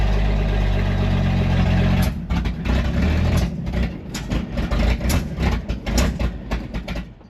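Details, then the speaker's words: 1964 Chevy C30 1-ton truck, first start from inside after sitting, good oil pressure, cooling system still unfilled; lumpy, uneven idle hunting and stumbling after catching, running rough and needing a tune-up. "there we go she's running not well but running"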